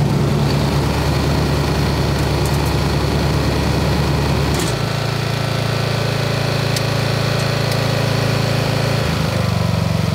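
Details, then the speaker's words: 1990s Snapper riding mower, Briggs & Stratton engine, first cut in years after belt, blade and lubrication work, deck at highest height: smooth, even note dipping slightly and holding steady as blades bite grass; cuts well, normal running under load. "take a little bit of getting used to it cuts really good it's up all the way on the adjustment height"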